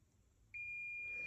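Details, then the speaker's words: Klipsch R-10SW 10-inch subwoofer with constant thumping: a high, steady continuity beep starts about half a second in and holds unbroken across the metal-covered amplifier IC pins, showing they are shorted. "so the amplifier I think that this is the amplifier here it's covered covered by this metal pins are shorted"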